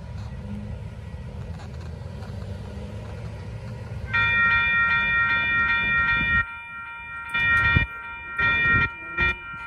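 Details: Replaced Union Pacific crossing E-bell, scratchy since 2015, now rings with a clear, evenly pulsing electronic tone as a train passes, no scratchiness; a crossing bell working properly after replacement.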